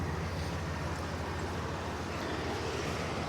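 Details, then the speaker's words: 1988 Mercury Cougar XR7 V8 idling very quietly, low even rumble with smooth steady beat, no misses or knocks; clean idle. "listen to this you can't even hear it running"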